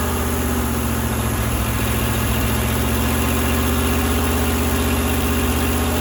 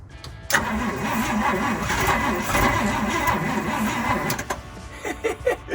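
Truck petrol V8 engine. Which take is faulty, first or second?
second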